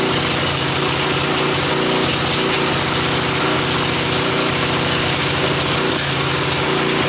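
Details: Rototiller single-cylinder engine fitted to a mini four-wheeler: ragged running with occasional popping backfires; carburetor not working right and a faulty gasket between carburetor and head is suspected.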